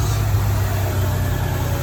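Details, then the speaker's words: 1991 Ford E150 camper van 300 ci six after tune-up, timing set, distributor tightened, gaskets replaced: low even smooth idle, no stumble, no more noisy lifter ticking. "How smooth is that? We got the distributor nice and snug. She just fires right up, idles so smoothly."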